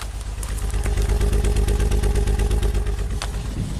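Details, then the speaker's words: 2008 Saab V6 Turbo idling on five cylinders, code P0203 injector 3 circuit fault, injector already replaced: uneven lumpy idle with deep pulsing beat about three times a second; misfire from failed injector driver in engine computer. "said it has a misfire it's throwing a code for the number three fuel injector"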